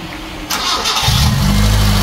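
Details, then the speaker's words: Mitsubishi Lancer GLi 4G15, first start after rebuild with new pistons, piston rings and liners, previously misfiring: brief crank, catches at one second and settles into a steady, even idle with no misfire; normal start. "alr so Ayan Mga p andar na siya no yan"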